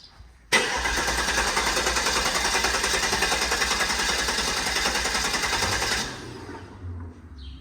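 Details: Guanci SSJ mid-engine V8 prototype, first start attempt after over 25 years in storage, fuel pump primed: about six seconds of steady rapid cranking, roughly three and a half turns a second, engine never catches.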